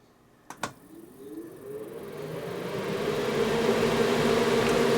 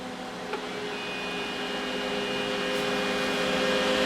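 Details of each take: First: Mr Lee's 2x12 Xforce amplifier cabinet fans with lid closed, replaced heatsink, other room fans off: switch click, then a soft airy whir climbing smoothly to steady, no rattle or bearing growl; quiet normal fan operation cooling the heatsink. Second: Cooling fan for a Mr Lee's 2x12 Xforce amplifier with replaced heatsink, held against the cabinet's decorative vent-hole opening: steady whir with a rising drone as the restricted airflow chokes it; fan noise from airflow restriction.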